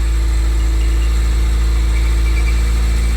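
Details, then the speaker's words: 1980s Renault 9 idling smoothly and evenly with no knocks or misses after radiator and cooling fan replacement, started on full choke after sitting weeks; warming up while the cooling system bleeds, a normal idle. "That sounds really good."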